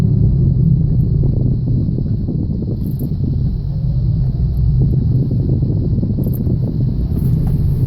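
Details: 2007 Chevrolet Aveo at 85,000 miles, brought in for a misfire: a deep, steady rumble fills the cabin while driving, the droning growl of a bad wheel bearing.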